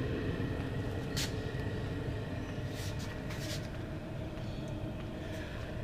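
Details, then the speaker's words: 2 kW Chinese diesel air heater on the lowest setting (one LED on the manual controller), drawing about 0.5–0.6 A: soft steady fan and burner rumble with faint, slightly uneven pump ticks; normal low-speed running. "the little hitter is stabilized here on one one bio LED on the manual controller we're drawing about 0.5 0.6 of an amp"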